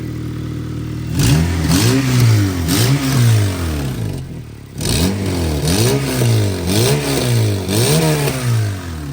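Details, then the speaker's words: Newly bought Acura RSX project car, mostly stock: repeated free revs with a raspy, droning, overly loud exhaust; it needs exhaust work right away, and worn motor mounts (back and one front shot) are also noted. "that sounds horrible yeah it's not perfect by any means but it runs and drives it definitely needs uh exhaust ASAP and motor mounts"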